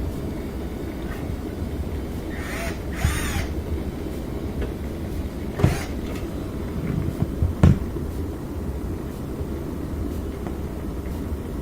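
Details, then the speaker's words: Frigidaire dishwasher that left water and wouldn't drain, running quick wash after the filter was cleaned. Even low churning rumble with a few light clicks as the circulation motor pushes water strongly. "We can hear the circulation motor is just really doing good, pushing the water around really well. So that's a result of it being a lot cleaner."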